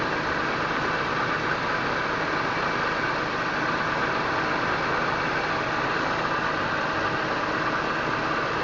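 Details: 2001 BMW M3 with over 200,000 km, cold start after a week sitting, heard under the hood: quiet, steady purr with no Vanos ticking; valve clearances were within spec at last inspection.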